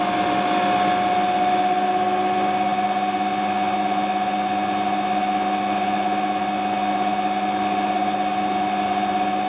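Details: Hotpoint Ultima WT960 washing machine test spin after fitting a brand new replacement drive belt: steady, even spin with clean constant motor whine, no slapping, squeal or knocking; drum and belt running normally.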